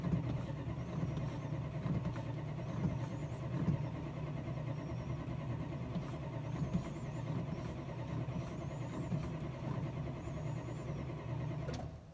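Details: Chrysler that wouldn't start when cars were being moved; low, steady starter churning goes on for over ten seconds without ever catching or speeding up, so it cranks but does not fire.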